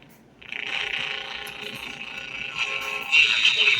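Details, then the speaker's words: RCA RZG 103G silicon-transistor AM pocket radio after recapping: steady high whistle over the station growing louder, audio circuit oscillating in parts of the band; suspected bad capacitor, unconfirmed. "audio sounds pretty good now but we're getting >> um >> we're getting some oscillations uh in the audio circuit in different parts of the band."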